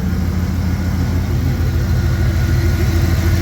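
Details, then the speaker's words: 1998 Dodge Ram 1500 after exhaust patch welding, running with muffler left off, sound recorded from under the truck; deep steady loud low rumble with even pulse; loud exhaust without muffler. "we uh well I decided the well the muffler did fit but I didn't put it on think I like the Sounder for better the way she is"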